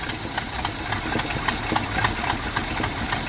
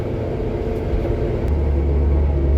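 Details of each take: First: 1973 Jeep Commando 304 V8 after carb rebuild, started with pedal floored: uneven, lumpy idle with irregular ticking and stumbles about three a second; carb still flooding, float found cocked and rubbing the carb side. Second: 1973 Jeep Commando with AMC 304 V8, 3-speed manual 4x4, after carb rebuild and tune-up, driving in low gear: deep, even rumble swelling as it pulls with no stumbling or knocking; normal running under load.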